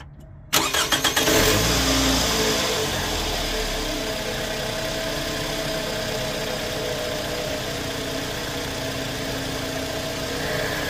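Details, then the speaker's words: 2008 Scion xB at 352,000 miles, after Liqui Moly engine flush and fresh oil change: quick crank, fires straight away, brief rev, then smooth steady idle with no ticking or knocking; motor noticeably quieter. "all right guys this right here is going to be uh the startup with the liquid Molly um Zyrtec and the new oil in it"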